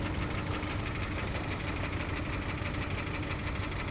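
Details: Kia Optima 2.0 engine: steady idle with a dull tapping beneath it, roughly two knocks a second; engine knock at idle, source not pinned down.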